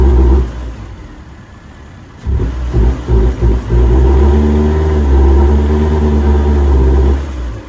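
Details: Nissan Altima that still won't rev above 2000 rpm after the intake hose was replaced and the computer reset by disconnecting the battery; revs rise only slightly and flatten on each blip, and the cause is not pinned down.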